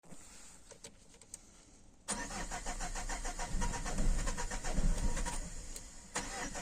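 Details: 2008 Citroen C5 X7: steady starter churn about four turns a second for nearly five seconds, never firing; crank no-start, fuel pressure regulator and fuel pressure suspected but unconfirmed.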